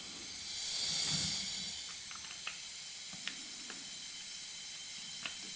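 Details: Husqvarna FS450 no-start, leakdown test, engine not running: steady airy hiss swells then settles, moderate leakage; air escaping past leaking exhaust valves, not the rings.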